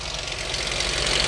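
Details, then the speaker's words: Chrysler 2.7 engine, aftermarket coolant bleeder tube fitted, restarted at idle: fast, light, even ticking over a steady idle that sounds like valve train; cause not confirmed. "Let me start the car back up. Whoa, y'all hear that? Uh-oh. God, that sounds like valve train."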